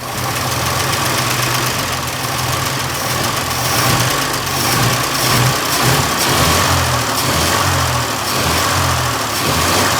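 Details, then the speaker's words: 1926 Oakland, first run in 75 years on its own gravity-fed fuel system: slow, slightly uneven ticking idle with steady low rumble; idle set a bit too low while mixture is adjusted, smoking heavily. "idle's a bit low idle is just a little"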